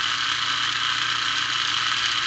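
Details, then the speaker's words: Lionel plastic-case Scout motor (#1110 2-4-2) on a test stand after cleaning the brushes and commutator: steady high-pitched buzzing whirr at an even speed with no low rumble; noisy but normal for this motor type, running fine. "not bad it's still noisy but as we showed with our earlier experiment noise comes with the territory"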